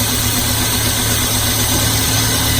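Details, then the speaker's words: Car engine at idle after the spark lead is plugged back in during a cylinder power balance test: smooth, constant low hum with no misses; all cylinders firing, normal idle. "it back in, smooth back out. If it hadn't changed at all, that would indicate a problem. This is working fine."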